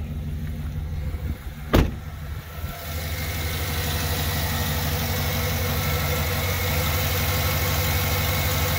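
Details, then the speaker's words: 2007 GMC Yukon Denali V8 at 154,689 miles with low oil pressure, idling after Seafoam and ATF were added to the crankcase. Oil pressure reads about 30 psi; the idle is a steady, quiet rumble with no ticking or knocking and sounds decent. "so it's somewhere near like i would say around 30 psi right now now it sounds decent the motor's not making a lot of"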